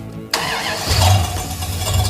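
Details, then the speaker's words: 1974 AMC Gremlin with Cadillac 500 engine, after adding washers to water pump flange bolts: engine catches and runs rough with gritty scraping underneath; drive pulleys still rubbing against each other. "no still doing it it's the pulley hitting each other"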